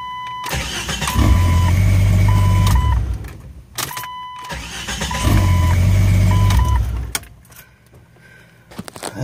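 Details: Jeep XJ after the starter was refitted; it had been damaged by water and mud, and the transmission dust cover had been left off. Two strong, even cranking bursts with a chime beeping, each catching promptly; the starter now engages cleanly and the engine fires.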